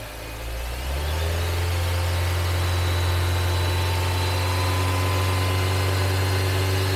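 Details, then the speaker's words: 2014 Nissan Evalia manual (used from 2015, over 100,000 km), just started and still cold, revved and held at about 2000 rpm; clean, even drone with no knocks or ticks, engine judged smooth with no faults; normal rev. "Oke, Masih halus. mantap. Nah, jadi untuk mesin, insya Allah nggak ada minus, teman-teman."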